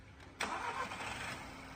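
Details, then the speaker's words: VW Golf 6 restarted after new ignition coils, coil plugs and belts, during an overhaul for oil leaks and abnormal noises; the noise is now quieter. It cranks briefly, catches cleanly and settles into a smooth, quiet idle with no knock or rattle. "现在这个声音轻了啊！"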